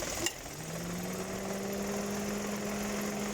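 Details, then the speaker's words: 2018 Dodge Attitude idling after lubricating the rusty AC compressor clutch that squealed on engagement: single click as the AC clutch engages, then a steady idle hum with no squeal. "entra pero ya no se oye ese rechinido"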